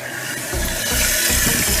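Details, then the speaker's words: Toilet tank after installing a new Fluidmaster PerforMAX 400CARP fill valve and flapper to fix a running toilet, water turned back on: a steady rushing hiss as the valve opens and the tank fills evenly, with no chatter or squeal; a normal refill. "Spinning back up. So far so good. Up. You can see where the old water line was, so that's where it's supposed to fill up to."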